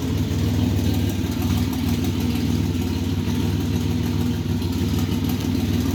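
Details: 1985 Chevrolet S10, 2.8 carbureted two-barrel V6, 4-speed automatic, transmission not yet installed, almost 60 psi oil pressure; rough idle with rapid, regular clattering knock, steady throughout; origin unknown, not yet checked.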